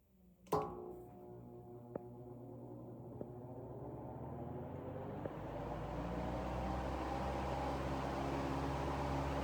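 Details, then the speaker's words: Vintage 1940s Robbins & Myers 16-inch 3-speed oscillating table fan, model 24004-A, on 115.5 V 60 Hz, started on high: click at switch-on, hum and air rush building smoothly to steady run; normal startup and running. "Cool startup sound. That is a cool startup sound with the motor. Startup on high."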